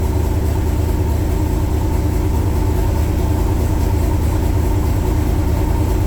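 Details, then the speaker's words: 1966 Chevrolet Corvette Stingray V8 cold start in January, about 11–18°F outside, after 10 dry and 10 cranking pedal pumps: deep steady rumble at raised, even high idle with faint lope; normal cold-start fast idle. "10 dry pumps 10 cranking pumps it's on high idle"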